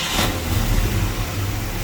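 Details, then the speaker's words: 1966 Ford Mustang 289 V8, sat unstarted probably 3-4 months, after replacing the fuel pump: catches on the key alone with no pedal and settles straight into a deep, even, steady idle with no stumble; healthy start. "Now see, that's a good sounding motor. So that fuel pump did the trick, y'all."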